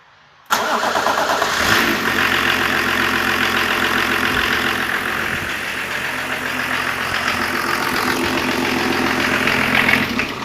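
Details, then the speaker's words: 1988 BMW E30 324 TD (M21 diesel) with random stalling, at idle after start: faint crackling sizzle and occasional click never heard before, possibly actuators clicking; cause not identified. "on entend un bruit de grésillements et un moment on n'entend claqué donc là je l'arrêté pendant la vidéo dure dans dix minutes je n'avais jamais entendu ça"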